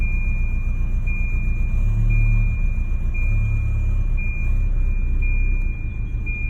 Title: Rough idle